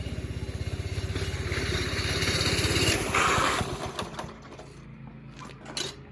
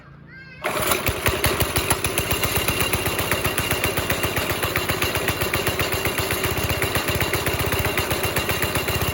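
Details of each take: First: 5.5 hp Briggs & Stratton go-kart engine after reattaching the loose throttle cable, choke off; even thumping about three beats a second with throttle response, winding down cleanly as throttle closes. Normal running. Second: NASCAR-style go-kart with a 5.5 hp Briggs & Stratton engine, started on choke after sitting a week and a half. Uneven single thumps around idle that never clear up; rough running because the throttle cable had come loose from its hanger.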